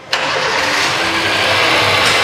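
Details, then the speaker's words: 2008 Honda Jazz (originally Type S automatic, upgraded to RS), 4-cylinder inline engine rated 120 PS: quick crank, clean catch, settles into a smooth even run with no ticking or knocking; healthy start. "dari staternya sendiri kondisi mesin masih halus"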